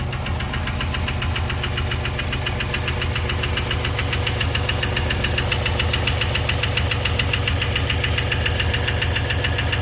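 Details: 1990 Dodge Grand Caravan V6 first start after fuel rail rebuild and reassembly: fast steady clatter over the idle at about 3.5 knocks per second. Owner suspects no oil pressure, starved valvetrain; unconfirmed.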